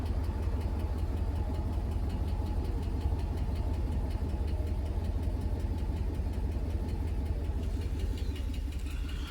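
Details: 2009 Ram 1500, 5.7 L Hemi V8, idling: deep steady rumble with a faint light tick about three times a second; cause unknown to owner.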